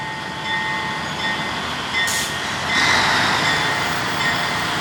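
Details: 1953 GE 80-ton long-frame diesel locomotive, last run 1998 by the Navy, just revived after temporarily twisting the contactor coil wires: steady whine with fixed high tones and wheel-on-rail rumble swelling as it pulls; moves normally under load, forward and reverse. Air throttle has dead spots, likely loose wiring.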